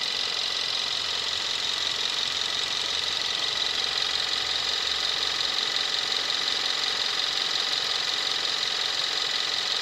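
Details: 2017 Kia Rio 1.6L inline-4 GDI, about 10,000 miles, just started: steady, even idle with the usual fast injector ticking on top, no knocks or misses, settling after start; normal engine sound.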